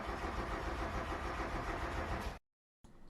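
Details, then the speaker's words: Mazda Miata won't start after heavy rain leaked through the soft top: steady cranking about 3.5 turns per second for two seconds, never catching, with no fuel pump prime whir at key-on; failed fuel pump relay, fixed by hard-wired bypass. "e key it was quiet no click didn't seem like the fuel pump turned on there's usually a whirring sound that lets you know it's working"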